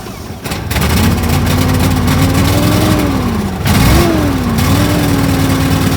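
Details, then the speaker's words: Argo ATV after sitting all winter, now running after fixes: upgraded carb replaced faulty accelerator pump, and a bad unblown fuse that cut the fuel solenoid was replaced. Catches within a second, steady even run, smooth rev rises and falls, no misfire; normal running. "Oh, you don't know how good that sounds. Good God. It's been a It's been a trial and error ordeal the last few weeks trying to get this thing running."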